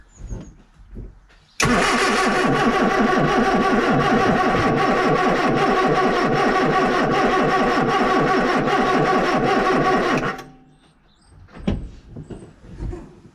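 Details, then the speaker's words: Austin Allegro 1300 Super, cold, after months stored, cranking on jump leads: long steady cranking about three and a half beats a second for nearly nine seconds, not catching; owner blames mechanical fuel pump refilling, mentions damp distributor cap check. "Took a few turns to get her to start, but I purely think that that's just because the fuel had to pump around. So that's the disadvantage of having a mechanical fuel pump, because you've got to rely on the engine turning over and over and over to pump the fuel up."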